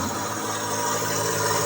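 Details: Bosch dishwasher after foaming liquid triggered the Aquastop leak protection, tap indicator blinking and no button response: steady low motor hum with faint whirr as the drain pump runs nonstop right after power-on, pumping out water.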